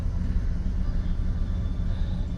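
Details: Auction-bought farm truck, bought sight unseen, idling just after its first start: low, steady rumble with an even throb and no knocks or ticks; engine idling fine.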